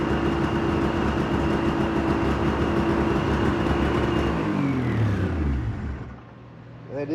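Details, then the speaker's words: Polaris Ultra two-stroke triple, started after thawing, in cold garage, running off a jug of fuel: fast, steady idle well above normal, then winds down and stops; high idle, possibly because still cold. "a bit of a high idle it can still be cold who knows yeah it's pretty [ __ ] cold"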